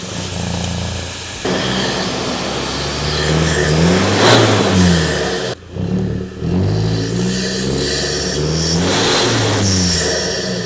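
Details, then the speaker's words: N80 Toyota Hilux diesel without DPF delete, just after a Phat Bars snorkel install: starts and revs rise and fall smoothly, no knock, whistle or misfire. Normal start and rev through the new snorkel. "Obviously, I don't have a DPF delete, so there's no whistle, but you can obviously hear it."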